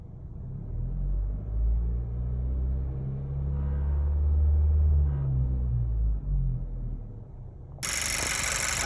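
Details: 2018 Honda Civic Si, manual transmission: deep engine rumble swells into an abnormal droning hum at about 2100 rpm, then a burst of hiss near the end.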